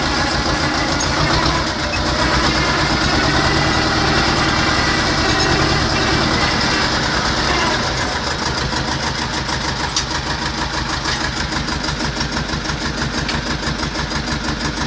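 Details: T-25 tractor diesel after repair: steady, even idle clatter at about three beats a second, no misses or knocks; normal diesel idle.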